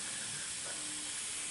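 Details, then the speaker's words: Honda Civic Si B16 VTEC with refreshed head, after first hitting VTEC: steady, soft, high hiss with no engine beat underneath, coolant escaping as steam through a big crack across the radiator front. "yep look at that there's a big crack right there on the whole front of the the radiator so that uh probably definitely has something to do with"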